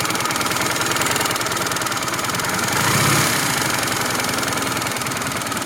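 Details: Engine hot after riding a while, idling with a fast steady ticking about four a second; ticking disappeared after stopping the engine and restarting about 5 minutes later; source unclear.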